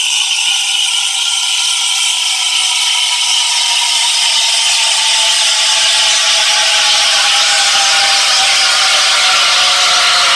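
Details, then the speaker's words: Espresso machine steam wand buried too deep in the milk and never lowered: loud, steady, high constant-pitch hiss with no chirping or paper-tearing; no air drawn in, milk heated to temperature but left thin with no foam. "The problem with this one is the milk is too deep in the steam wand, and we're not going to lower it down at all."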